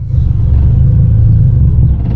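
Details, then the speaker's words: Old Honda Civic EG6 with loud exhaust idling in neutral: deep, uneven rumble sags and fades as if about to die, owner says it is literally stalling out. "Oh my God, it's literally like stalling out."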